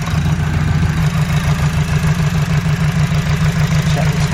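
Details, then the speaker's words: EG Honda Civic idling with engine shake, injector number one unplugged and suspected dead: low uneven lumpy pulse wavering beat to beat; rough idle. "see our shake of the engine is behind running properly something not right you weren't like this the other week"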